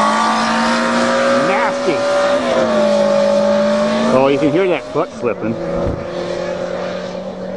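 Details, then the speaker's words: Motorcycle-engined dune buggy, first drive, no reverse: engine note climbs and sags in whining sweeps while pulling away, revs running ahead of the load; clutch slipping suspected, not confirmed. "slipping directions hell yeah was that the clutch I hear slipping yeah"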